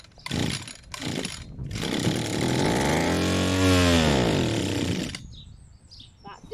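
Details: Old Stihl FS 81 strimmer, air filter cover off, brake-clutch cleaner sprayed in as starting fluid, primer squeezed: short pull bursts, then a few seconds of rising and falling two-stroke buzz before dying; runs only on spray, pointing to fuel delivery.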